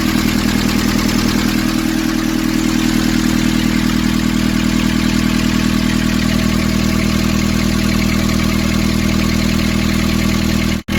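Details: Nissan Urvan ZD30 diesel (possibly 2015) after a no-start repair in which a clogged, soot-filled part near a sensor was cleaned and refitted: steady, even diesel clatter at constant idle, no misses or hunting; healthy idle.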